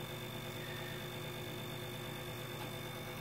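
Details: Grundfos 26-99 circulation pump on a hydronic heating system: constant low hum with faint steady high whine, no rhythm or grinding, intermittently annoying; owner thinks the pump or its removable cartridge will need replacing, cause unclear.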